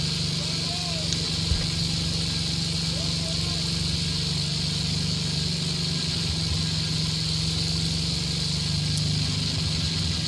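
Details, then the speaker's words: 1966 Simplicity Sovereign lawn tractor, Briggs points-ignition single-cylinder, fed a little starting fluid to get going: steady, even beat with a low hum and no misses; running fine, though the extended old coil wire is probably arcing. "but I'm having to feed it with a little bit of starting fluid to get it rolling."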